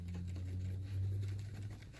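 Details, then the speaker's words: 2015 Chevrolet Malibu with intermittent lean fuel trim and P0171 code, after the intake manifold bolts were tightened: steady low idle hum with no rattle or thumping; the manifold now sits tight and quiet, and the lean problem may be fixed. "you can't hear it now because it doesn't move."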